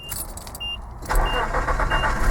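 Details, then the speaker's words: 1995 Nissan D21 pickup, after replacing the original 25-year-old starter ignition switch that caused intermittent no-start with electrical buzzing: short quiet crank, clean catch about a second in, even running, no buzz; normal cranking and start. "see that's that's what it's supposed to do okay well there you go guys there was the issue I think that has fixed it"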